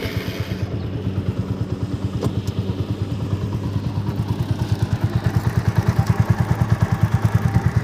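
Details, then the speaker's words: TVS Apache RTR 200 4V BS4 on stand, idling, chain sprocket set worn out after about 30,000 km, front sprocket previously replaced: steady rapid rhythmic knocking about twice a second, loudest at front sprocket; worn chain and sprocket, set to be replaced. "यह जो सामने वाला point है उसमें थोड़ा ज्यादा ही आवाज आ रहा है"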